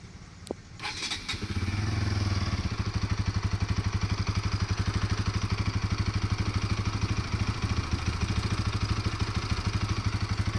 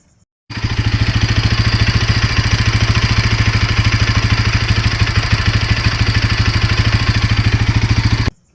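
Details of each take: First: Bajaj NS200 after replacing the loose timing chain tensioner that had caused engine noise; the engine catches and settles into a steady, even idle with a clean regular beat and no chain rattle or ticking. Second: Bajaj NS200 motorcycle engine at idle: fast, steady metallic clatter throughout, chain slap from a loose timing chain tensioner that wobbles and fails to keep the timing chain tight.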